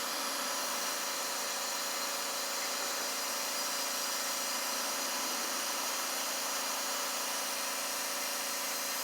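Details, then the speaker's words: Kawasaki FH580V engine losing power, compression about 160 and 140 psi, during leak-down test: constant airy hiss as air escapes into the crankcase and out the dipstick; blow-by suspected past probably worn rings, not confirmed. "so we got some blow by on the uh cushion rings they're probably worn but that's not really really bad because I got a wide open for it"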